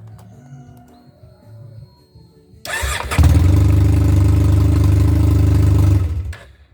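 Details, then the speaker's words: 2001 Honda Silverwing 600 scooter, restarted after fitting a Mr Pulley clutch: cranks and catches into a loud, steady, low blatty idle, louder than normal; harmless exhaust leak because the silencer has cracked at its weld. "Donc pour le bruit, rien d'inquiétant. C'est parce qu'en fait le silencieux est parti en soudure."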